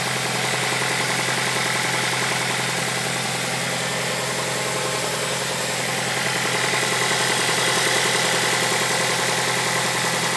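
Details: Mazda 6 at steady idle: an even, light knock about three or four per second over the engine note; source not pinned down.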